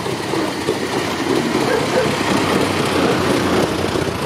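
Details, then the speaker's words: 1915 Ford Model T, Canadian-built, with three-speed reduction gear and automatic-advance distributor, started cold: steady loose chuff about four beats a second, even rhythm, no misses; runs fine cold. "Ford tudi hladen lepo vžge."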